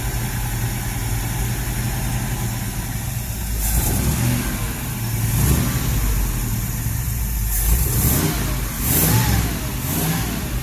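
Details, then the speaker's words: Ford Ranchero 351 Cleveland V8, running after 20 years off the road: rough running held on throttle, revs rising and sagging unevenly, never reaching steady idle; blamed on a known vacuum leak. "let's steal my foot but that's vacuum leak too that's true but other than that it runs when it runs"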